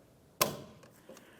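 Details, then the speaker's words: 2009 Dodge Dakota Big Horn 4.7L pickup, new gas cap on driver's side turned clockwise: one crisp click as the cap seats, then faint handling; gas cap properly seated. "Once you've heard that click, continue on to your strap."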